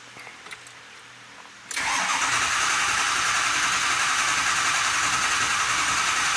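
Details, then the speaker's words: 2005 Ford Super Duty 6.0L Powerstroke diesel, 287,000 miles, cranking: steady whirring crank for several seconds that never fires; no start, scan data shows too little injector control pressure, regulator fully closed; high-pressure oil leak suspected. "and that looks like our problem not enough injector control pressure"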